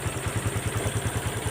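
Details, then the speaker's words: Honda Wave 125 just started and warming at idle after rebuild with genuine crankshaft/connecting rod, new bearings, clutch and valves: even steady putter about ten beats a second, no knock or rattle; quiet, healthy idle. "มาดีแน่นอนเงียบเงียบเลยเงียบแตกต่างจากที่มาตอนแรกนะครับตอนนี้ก็เพิ่งสตาร์ทเสร็จก็วอร์มเดินเบาไว้ก่อนนะ"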